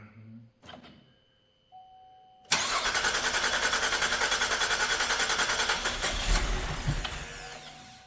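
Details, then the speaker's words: 2012 GMC Acadia SLT 3.6 LLT, first start after final assembly with fuel pump on: the starter churns about three and a half beats per second without firing; air remains in the fuel lines and the injectors are not yet primed. "Now we're going to try to crank it. Ooh, there's some fuel pump action. Oh! It's got a lot of air in the line yet. Yeah. Oh, it's wanting to. Well, it's just got to get all the injectors filled up."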